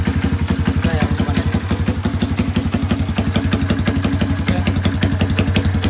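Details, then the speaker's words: 1981 Kawasaki Binter Mercy 200cc, previously hard to start: kick-started with no throttle, even steady putt-putt about three beats a second, no stumbling or rattles. Normal idle. "oke ya Jadi untuk hidupnya itu sudahah gampang untuk hidupnya itu gampang gak perlu kita pegang gas hidupkan kontak engkol dia bisa hidup normal langsam ya sa hidup normal langsam"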